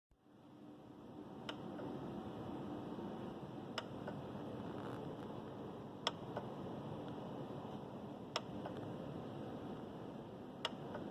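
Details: Parked Tesla Model 3 in the evening: regular sharp single clicks about every two and a half seconds from the charge port area, cause unknown; stopped once driving resumed.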